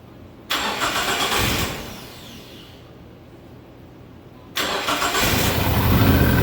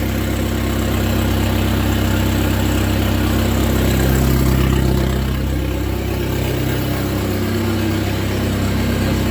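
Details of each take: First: SRT-4 engine in a drift truck, first test start dry: cranks, catches, stumbles and dies (PCM fuse blew), restarts into a lumpy uneven idle with smoke; rough running as idle air control, TPS, intake air temp and O2 sensors are unplugged. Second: SRT-4 engine in a Mazda B2200 drift truck, running with sensors still unplugged. Low, steady, even idle with no surging or knocks, surprisingly not loud. A smooth, clean idle that doesn't vibrate the truck.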